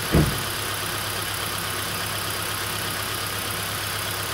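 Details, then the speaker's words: 2011 Kia Soul at idle: short crank then low idle with faint uneven stumble; misfire with flashing check engine light traced by coil swap to a dead ignition coil on cylinder 2. "so we verified beyond any doubt that our coil that was on one before that this number two coil is dead"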